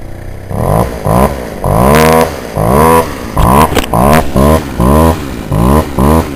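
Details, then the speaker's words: Warm Poulan Wild Thing two-stroke chainsaw after carburetor adjustment; the owner thinks it may still need a compression ring and a carb kit. Quick throttle blips climb cleanly and drop back without stumbling. Normal running. "yeah that's um the cooling Wild Thing chainsaw that I have uh does pretty good for a little chain homeowners chainsaw"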